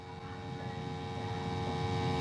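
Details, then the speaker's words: Steam boiler after cleaning and maintenance for high pressure issues: steady low burner roar with even tones, gently building, no rattle or rumble; burner firing smoothly. "let me know upstairs if you hear the noises so it seems to be burning pretty good"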